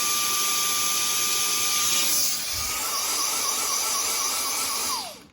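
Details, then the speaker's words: Dyson DC35 vacuum received free: steady high motor whine drops in pitch and level, then winds down and cuts out, a pulsing-and-stopping fault; sound changes when the bottom piece is straightened, and that piece is suspected. "Hey y'all, so my client gave me this Dyson for free because it just pulses. And then it turns off, right? And sometimes it pulses for less time."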